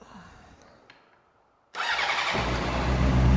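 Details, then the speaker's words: Rebuilt wrecked Honda CBR 600RR, 13,000 miles, first start in neutral with coolant level unknown: quiet, then the starter catches and the engine settles into a steady, even idle with no clunks; it sounds healthy. "oh yeah this thing sounds good sick alright I don't want to run that too long oh my god this thing sounds awesome"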